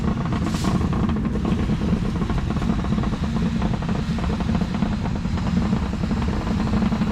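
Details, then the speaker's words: 1965 Mercury Montclair V8, revived after sitting 16 years, idling: deep, loud, steady rumble with a raspy edge. The owner thinks both mufflers are rusted out at the back, causing the rumble; this is unconfirmed. "she's running both mufflers are uh i think rusted out in the back so that's where the that's where the rumble is"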